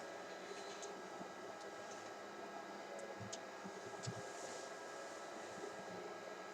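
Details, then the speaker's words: Dell PowerEdge 2950 server after the resistor fan mod and BMC firmware flash, booting into CentOS. Soft, steady fan whir with a faint hum, the two by the processor audible; not silent but much quieter. Normal quiet fan run. "So what I can hear, and I don't know if the camera can pick it up, is the fans whir, and you can hear maybe the two by the processor. They do swirl. It isn't silent."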